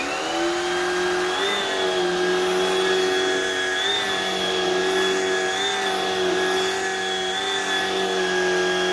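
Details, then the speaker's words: Modern cordless Shark vacuum with power fins; steady, high motor whine with slightly wavering pitch and no breaks, appears fully functional though judged a poor machine. "Anyways, wow, that thing's a piece of garbage, but it does work. It appears to be fully functional. It's just not a good machine."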